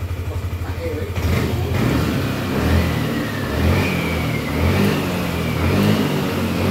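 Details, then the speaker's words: Yamaha Lexi 125 scooter with no fault codes, weak on hills: at full throttle the engine revs in slow, flat surges and feels held back, never spinning freely; caused by a clogged fuel injector. "ya bisa didengar sendiri sama teman-teman pada saat kita gaspol jadi seperti ada tertahan ya"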